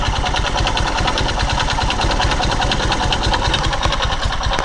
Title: Мотоцикл Скаймото Пегас 110 Стук шатуна пробег 13 000 км